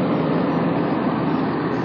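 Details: Patrol RG 140 diesel at steady low idle, even and smooth, with no rattle or buzz; earlier strange noise was vibration at the oil reservoir drain, first suspected hydraulic pump, fixed by wedging a shim. Normal running, no rattle.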